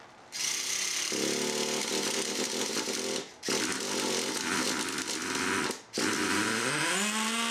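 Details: Rebuilt Traxxas T-Maxx nitro engine, carburetor cleared of debris and broken in: high, raspy buzz pulls cleanly through throttle blips; runs healthy.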